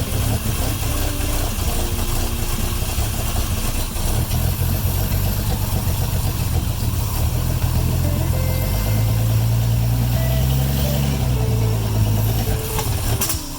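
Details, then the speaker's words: Old car after draining and refilling the gas, cleaning the spark plugs and resetting the timing: a steady, even low idle without misses, but it won't rev up. The owner suspects the timing isn't advancing, from sticking or a vacuum leak. "We cleaned all the spark plugs, we redid the timing on it, and now it idles beautifully, but it won't rev up."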